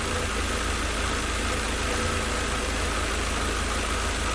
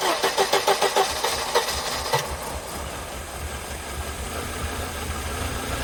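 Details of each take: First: 1988 Mercedes 190E W201 after a valve stem seal replacement fixed no-start and misfiring: cold idle around 800–900 rpm, with an even hum that is slightly lumpy while warming up. It runs nicely but may need adjustments. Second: 1988 Mercedes 190E W201 on a cold day, first start after valve stem seal replacement and refuelling (no-start was blamed on lack of fuel): brief cranking, then an uneven idle settling to a steadier hum; rough idle, slight misfire.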